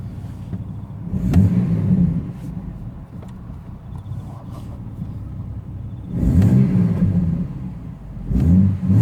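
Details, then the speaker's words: Ford BA Falcon inline-six after replacing ignition coils, fully warmed up: low, even idle rumble broken by a few louder swells; idle sounds sorted and normal. "We'll stop up here and have a listen to the idle now that it's warmed up well and truly. I think we got it sorted."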